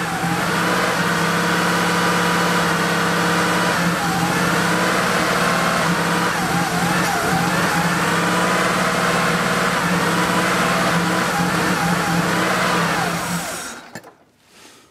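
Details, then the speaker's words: Porsche 3.2 Carrera with its injectors refitted, fuel pressure being tested: it held idle at first, then drones on with a wavering, uneven, misfiring beat at steady throttle. It worsens and stalls after about thirteen seconds, cause still unknown. "so when we first started the engine it was running okay at least it would hold its idle and then you can kind of hear it start to miss and it got worse and worse and then it stalked"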